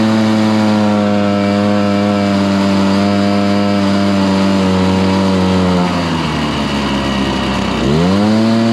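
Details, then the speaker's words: Stihl BR430 two-stroke blower, restarted after a few days on choke and primed with low fuel. It holds a high steady howl, then sags hard for two seconds and claws back, bogging at full throttle. The suspected tank vent was ruled out by opening the tank, so a carburetor rebuild is planned. "I want to check and see if the vent's bad is that the reason why it's barging down"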